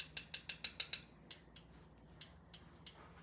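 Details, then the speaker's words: 1971 Triumph T120, engine off, valve clearance freshly set with feeler gauge: six crisp evenly spaced metallic clicks then fainter ones as rockers are moved by hand; normal rocker click, clearance correct. "So I'm going to take these out, and let's listen to the clicks."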